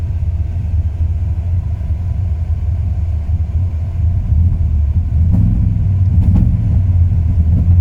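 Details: 2002 Ram 1500 5.9 V8, warm: deep, uneven idle that lurches and drops rpm, only after 3-5 minutes of running; fine cold. New plugs, wires, cap, rotor, cam and crank sensors have not fixed the rough idle.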